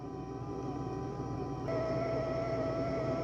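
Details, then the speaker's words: Dreame X60 Max Ultra robot vacuum-mop doing hot-water mopping: a soft, steady mop-roller whirr, then the louder dirty-water pump whine joins. Fairly quiet, normal operation. "You can hear the mop roller spinning. A dirty water pump kicks on. It's not super loud. The dirty water pump is the loudest part."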